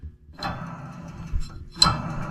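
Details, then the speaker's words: Lawn Ranger mower deck, blades removed after being seized: spindle spun by hand gives two short gritty dry rasps, worn rough spindle bearings with no grease fittings; others stiff. "See how rough those bearings are? Well, that's not all of them."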